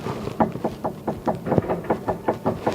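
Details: 2007 Kia Rondo with front clunking while driving: quick, sharp clicking knocks about five a second as front stabilizer bar link is pushed by hand, heard from the top; worn link, replaced.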